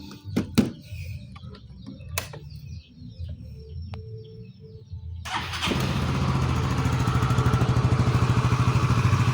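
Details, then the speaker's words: Yamaha Mio MXi 125 FI scooter after transmission gear set replacement: engine starts and settles into a steady, even putter. Drivetrain now good; only the covers rattle. CVT crankcase bearing is also noisy and still awaits replacement. "So ito ngayon, goods na siya. Yan, pandarin natin. Maingay lang itong kanyang mga cover at dito."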